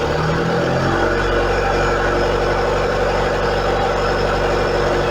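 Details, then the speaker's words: Engine on Speeduino ECU with idle air actuator (Magneti Marelli) set to 1,000 RPM; coolant temperature sensor unplugged so ECU thinks it's very cold: idle climbs within a second to a higher steady speed. "eu vou desligar o sensor de temperatura da água ele vai pensar que você tá super frio vai pedir para mim que ia Daí vamos lá"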